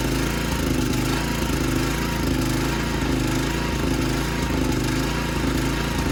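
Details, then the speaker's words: 55-year-old Montgomery Ward lawn tractor single-cylinder engine at low revs: loud chugging with an uneven knock about once a second. Owner thinks a cover moves on the worn engine mounts; it misfires and shakes revved down, and a new plug is wanted. "Something knocks real bad when it's like revved low, but I think it's just that cover like moving around in the shot mount."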